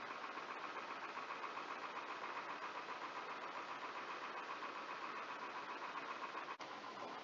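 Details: GE/Samsung fridge ice maker removed and tested on the bench: quiet steady whirr with light even ticking two or three times a second from the timing motor, plus small snaps from the drop-down arm; ejector turns smoothly in the correct direction.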